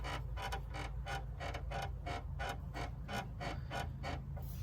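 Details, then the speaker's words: 2005-2016 Toyota RAV4, passenger-side front: a rhythmic creaky squeak about three times a second as the suspension is worked, from a worn upper sway bar link. It is a squeak, not yet a knock. "the squeak sound now you could hear a knocking sound if it's absolutely just completely worn out you know meaning like knock knock knock knock this is just a squeak"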